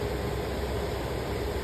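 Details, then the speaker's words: Attic AC air handler after replacing the failed blower motor and deep-cleaning the blower wheel: soft steady whoosh of air with faint constant hum, no rubbing, ticking or wobble; normal blower operation. "Power it on and should be good to go. Yeah. As you can hear spinning in there. That's a job well done."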